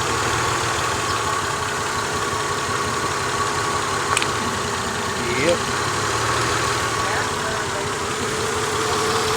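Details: 2000 Honda Accord V6 with a flashing check engine light, new spark plugs fitted: uneven, loping idle with a missing beat; unplugging each coil shows cylinder 3 dead, from a failed ignition coil.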